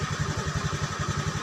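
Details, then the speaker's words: Honda Beat scooter that was dead when the key was switched on, running with a jumpered relay as an emergency fix (a new relay is advised): even putter of about eleven beats a second with no misfires or rattles; healthy idle. "kalian lihat di bagian sini tuh otomatis nyala dia kita starter nah dia hidup bagus ya"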